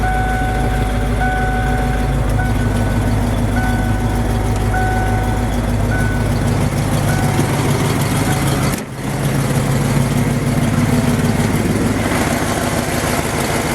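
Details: Ford F250 truck (possibly OBD1) after fuel pump work, idle screw turned down to about 900 rpm (spec around 800), likely running on IAC: even smooth idle, no misses or hunting, reversing beeper nearby; running good, fuel pressure 30-45 PSI.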